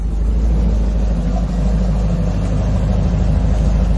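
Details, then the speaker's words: C4 Corvette, warmed up, after replacing the coolant temperature sensor and adjusting the TPS, heard from the front: deep, steady V8 idle holding even speed with no hunting or surging; idle now much better and sounds correct. "oh yeah this much better this is much better yeah this much better I can't hear it so now that I got it running at a B much better idle"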